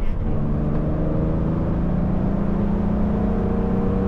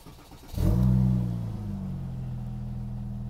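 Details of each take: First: 1970s Porsche 911 Turbo, 146,000 miles, ex-Las Vegas rental, driving on the road with new seals: smooth, even engine drone rising and falling with throttle over road noise, no knocks or misses; normal running. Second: Porsche 911 Turbo, Mezger engine, 146,000 miles, Tiptronic, aftermarket intake, ex-rental: starts with a loud bark then idles with a deep raw booming drone, turbos audible; muffler found completely missing underneath.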